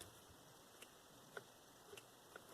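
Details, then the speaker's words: Cheap eBay Makita-clone cordless impact wrench, failed after 20 days: a few sharp isolated clicks about every half second when triggered, with no motor spin-up. Owner suspects a burnt-out control board underneath the tool. Cause unconfirmed. "And this one, as you can see, no longer rotates."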